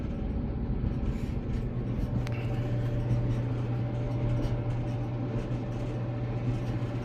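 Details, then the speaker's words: Maytag Bravos XL MCT gas dryer, over five years old, after replacing the idler pulley to cure a loud squeak; smooth even low hum with no squeak or chirp, drum turning quietly, healthy. "No squeaking. So that's what it was. No squeaking and it's turned on."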